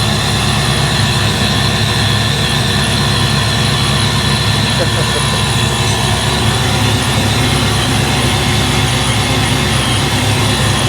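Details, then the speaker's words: Foxbody Ford Mustang supercharged 347 V8 after oil pump swap to a high-volume pump, dead cold, idling at 530 rpm, 35 psi oil pressure: loud, even idle with steady blower hiss, supercharger quieter than before, no knocking or grinding. "cold idle at 530 with a high volume pump there we're dead cold still and we're just going to let it warm up"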